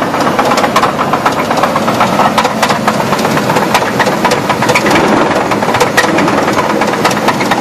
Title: 2000 Chevy Blazer engine knock